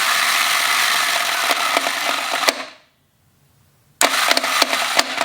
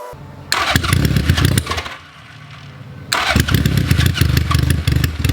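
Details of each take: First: Honda GL1100 Goldwing engine: harsh metallic clanking and rattling while cranking, stopping when key released; worn starter clutch near alternator suspected, engine removed for starter clutch rebuild. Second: Honda Goldwing GL1100 after starter clutch rebuild that cured a horrible clanking on cranking, starter engages and engine fires on all cylinders, settling into a steady even run; clean healthy start.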